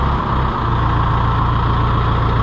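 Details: Engine after a cold start, holding a steady, even low idle with a smooth, unbroken beat; described as a good runner, sounds healthy.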